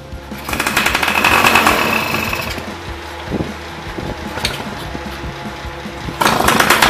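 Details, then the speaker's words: Yamaha Y110SS two-stroke motorcycle, after cylinder boring and new piston rings: idle still unstable, surging and sagging instead of settling; likely blocked carburetor, to be removed and cleaned. "Now its problem is the same as before, idle speed is still unstable. It is very likely that its carburetor is also blocked."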